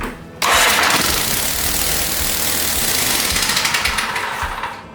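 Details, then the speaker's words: Cub Cadet RZT S 42-inch zero-turn mower, one plug without spark: runs raspy for about four seconds on carb starting fluid then dies; engine hard to turn over, too much compression suspected, valves to be checked and adjusted. "all right it runs once you gotta figure out why it's not wanting to turn too much compression or something"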